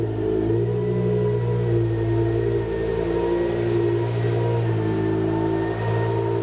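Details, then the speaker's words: BMW E60 M5 S85 V10, first start after new rod bearings, no coolant, secondary air hose disconnected: smooth, even idle with slight rev rise and fall, no knocking or ticking; bottom end healthy. "Okay. Everything actually sounds really good. I can't hear that secondary air pump screaming because it's not hooked up, or the hose isn't hooked up to anything."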